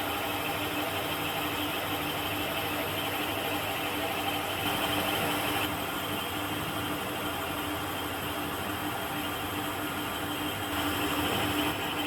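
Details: Mill boring head holding an HSS end mill with a 12 mm shank, cutting on one flute with copious cutting oil, on a radius dresser part: a steady even cutting hiss with a constant tone, no chatter or squeal. Boring cut runs smoothly.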